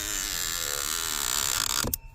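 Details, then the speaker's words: Audi HVAC: a dry, rapid creaking rasp from the right footwell vent flap actuator that stops with a click; fault code shows the flap motor out of range; noise stops when connector unplugged; motor fine, likely the flap rail. "커넥터 빼니까 소리 사라지죠. 이쪽에서 문제였습니다. 모터는 문제 아니고요. 모터에 아마 걸리는 레일이 문제일 겁니다."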